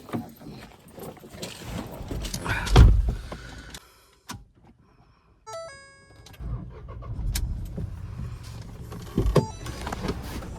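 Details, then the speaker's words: Ford EcoSport petrol, about 20,000 on the clock, non-accident, engine uncleaned: door and dash chimes, short crank, then low steady idle hum with no ticks or rattles, no leaks; normal start and idle. "এইটো চাওক petrol engine হয় guys, একদম normal sound."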